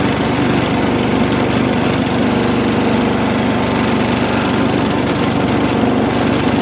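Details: Mighty Mac wood chipper/leaf shredder, previously non-running, small engine first start after priming with gas, loud steady buzzing at constant speed without surging or dying; runs on its own, though flails had briefly jammed, possibly on a branch.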